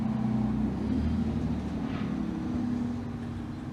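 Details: 1961 Admiral tube radio, at least 61 years old, brought up slowly on a variac to 75 V: a steady, level low hum. The filter capacitor needs replacing, and all capacitors will probably be replaced.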